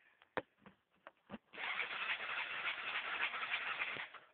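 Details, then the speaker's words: Yamaha quad, roughly 110 cc, with all parts new, fuel and power fine: a few clicks, then the starter spins the small engine for about two and a half seconds without it firing; cranks but won't start, cause unknown. "nothing turns on nothing worked like everything the power of thing works just won't start at all"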